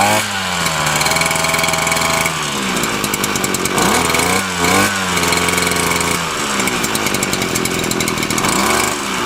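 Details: Titan TTBCP33 33cc split straight-shaft two-stroke brushcutter on alkylate fuel, outdoors in wind: steady even high-pitched buzz, small throttle dips recovering cleanly; runs smooth and healthy.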